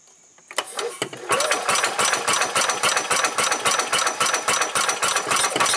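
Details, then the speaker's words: 1990 Club Car golf cart engine, air filter housing off, suspected wrong replacement carburetor, fuel filter not filling, weak battery: uneven pops on cranking never settle into steady run; intermittent firing from fuel starvation. "okay okay well I finally got it to fire a few times I don't know if the camera recorded or not I took the air filter housing off and I believe that carburetor is not the right thing for this"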